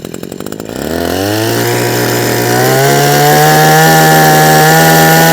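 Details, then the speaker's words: Husqvarna 123HD60 hedge trimmer, unused for a long time: two-stroke revs climb unevenly, then hold a wavering uneven note; rough running, owner suspects the carburetor diaphragm and plans to check it, maybe fitting a new one. "Okay, so based upon what it's doing, and it's not been used for so long, we'll have a carburetor off, have a look at the diaphragm, maybe a new diaphragm, and go from there."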